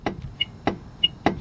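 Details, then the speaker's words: Toyota front end after the passenger side hit something on a highway, jacked up with the wheel off: three sharp metallic clunks about 0.6 s apart as the steering is rocked by hand; worn inner tie rod. "now when we pull it back and forth we can say the clunking is coming from the inner tie rod this is the inner tie rod conquer clunker when I really pull out you can hear"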